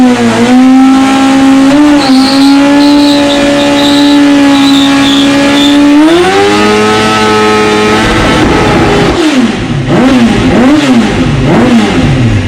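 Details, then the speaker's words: 1996 Suzuki GSX-R750, dropped and not run for about a year, after the petcock was cleaned out; a strong clean engine note climbs and holds through steady revs, then tyre squeal wavers as the rear spins during a burnout. Healthy engine revving. "all right so we got the petcock all cleaned out got it back in put back together everything's working good the bike's running nice"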